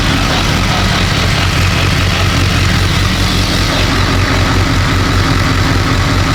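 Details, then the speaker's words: BMW K1200 R, previously rough and cutting out, after diagnostic reset of injection adaptation values; sat two years: steady even low idle, no misses, warm at just over 100 degrees with fan on; runs normally, slight clutch rattle. "Right. Just over 100 degrees. So, yeah, it's all good."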